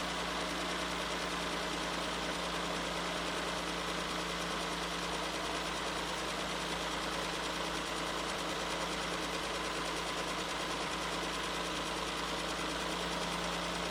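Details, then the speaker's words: 1994 Ford Probe GT just started cold, oil pressure gauge on the sending-unit port reading a little over 60 psi: steady, even hum at raised idle with no knocks or misses; normal cold-start fast idle. "Right now I'm reading about 60, a little bit over 60 pounds. It says cold. Just started, still a little high idle."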